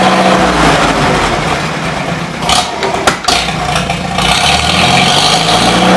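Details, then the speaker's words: 1953 Farmall Super H tractor, cold day, running on fresh gas with 12-volt coil on a jump box: steady fast idle, even firing, no misses or knocks; sounds healthy, though the carburetor leaks. "runs damn good that's fresh gas now I'm happy"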